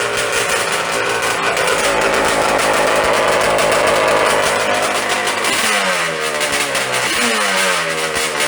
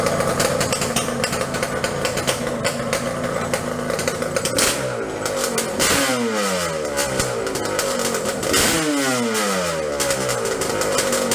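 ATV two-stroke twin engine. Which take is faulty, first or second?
first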